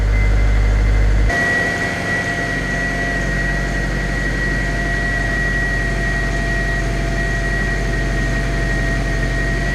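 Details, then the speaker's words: Honda K20-swapped project car, cold start after replacing suspected faulty idle control valve: brief stumble then steady even fast idle from about 1500 rpm with constant whistle; normal cold fast idle dropping. "The idle is slowly coming down now. As you can see. Sounds like the choke's just trying to come off now, so hopefully that'll slowly keep dropping."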